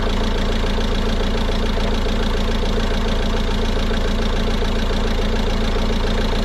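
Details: 2016 Peugeot Boxer 2.2 diesel after fuel filter change and self-bleed priming: steady even diesel clatter at idle with a regular beat around three per second, settling smoothly.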